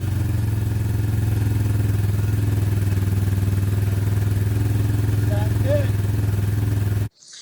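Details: 2004 custom Harley-Davidson, bought as a non-runner, first start after the carburetor was cleaned of gunk and float overflow fixed: low, steady thumping at about 3.5 beats per second with no stumbling or surging; idles cleanly.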